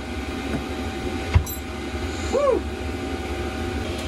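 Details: Chinese diesel air heater in Eagle bus conversion, blowing very hot air: soft steady airy hum, no pump ticking or surging, pump previously noisy now inaudible; normal running.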